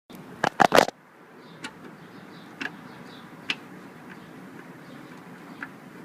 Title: creaking knocking noise from back audi tt mk1